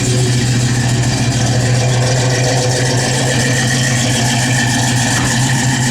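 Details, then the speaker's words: 1970 Plymouth Barracuda, 71-date-coded 340 V8 with Edelbrock 4-barrel, headers, Flowmaster dual exhaust, 727 automatic, mild cam: revs held up evenly with a steady deep rumble and low drone, no knocks or misses; car sounds good. "Just a little cam to it, nothing crazy. A little rev good. Car sounds good."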